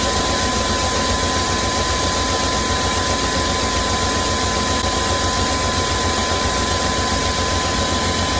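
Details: 2001 Chevy Express van, 4.3 V6, after sitting nearly 3 years, started on starting fluid after a spider injector, ignition coil and distributor replacement: uneven, lumpy throb at a quick idle, shaking and smoking; rough-running misfire.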